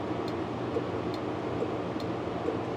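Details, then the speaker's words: 1958 Plymouth during rear wiring and turn-signal checks: faint, even clicks about every 0.85 seconds, roughly 70 a minute, over a steady hum; flasher cycling normally, though it was inaudible at times. "couldn't hear it clicking the flasher clicking, but now I can."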